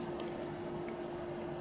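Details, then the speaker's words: TEAC PowerMax 60-2 PC speakers after recapping, powered on at maximum volume: only a very faint steady hum and no buzzing. Normal quiet output with faint residual hum. "right now and I can hear a tiny I mean it's so minute can he a little tiny bit of home but as you can see we're at maximum volume um so yeah I think these things are fixed"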